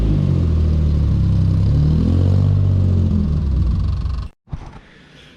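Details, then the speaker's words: Datsun 240Z on its first start and drive after the build, running low on fuel. Rough, lumpy revving with an uneven beat and stalling: it's running on three cylinders and sounds nasty, cause unconfirmed (cam mentioned). "she started running on three cylinders there when I uh pulled it out of the shed so I'll go get some fuel and I'll whack it in and I'll start it up again for you she sounds pretty nasty"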